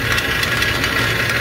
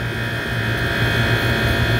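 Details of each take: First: Walk-in cooler condensing-unit compressor found during preventive maintenance, still holding temperature: loose rattling knock like pumping rocks, pointing to broken internals; compressor needs replacing. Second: Walk-in cooler reciprocating (piston) compressor running after a PM service where it had sounded like pumping rocks: even, steady hum with a smooth low pulse, no rattle; drawing about 11.2 A against a 10.9 A rating.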